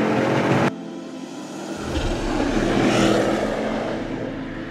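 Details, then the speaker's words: Mercedes GT63 AMG (GT63s), about 640 hp, after months of rebuild, in race mode: deep engine note swells smoothly under load, no knocks or rattles, no engine lights; normal strong acceleration. "I can definitely feel all 640 horses on the wheels. I just can't believe this, man. The car I've been working on for the last few months, here it is. Engine's alive, no engine lights. Sounds like a bloody beast."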